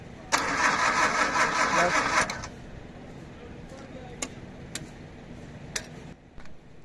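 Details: Suzuki Potohar 1000cc petrol engine, fuel delivery also not right: starter churns steadily about two seconds but engine never fires, then silence; crank no-start traced to faulty breaker points.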